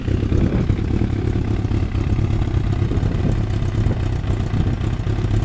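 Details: Freshly rebuilt Thunderace engine at initial start-up, oil double-checked, water leaks still present: a dense, even low burble holds a constant pace with no stumbles, knocks or ticks. Clean, normal idle.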